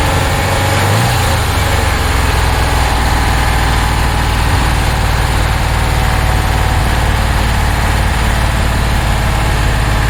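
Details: 1966 Porsche 912 cold start at about 60°F after a fuel line fix, distributor loosened for timing, burning oil: heavy, lumpy, loping idle with missing pulses, two cylinders not firing; owner suspects a dirty carb, possibly needing a top-end rebuild.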